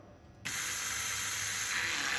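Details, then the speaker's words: 1953 Mack A40 swapped to an ex-school-bus 24-valve 5.9 Cummins, lift pump powered through alligator clips to prime the fuel system; a steady hiss and buzz kicks in and holds evenly; fuel lift pump running. "yeah it uh turns on for a half a second let's see if our sketchy alligator clips we'll do anything oh we have power"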